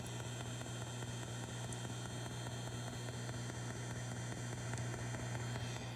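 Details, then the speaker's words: 1970s Fender Twin Reverb amp, footswitch eliminated with a shorted RCA plug: steady mains hum with a faint regular tick about 97 per minute underneath. The known vibrato tic-tic persists; source not yet traced. "still have the tic tic going on in the background even though we've eliminated the the footswitch"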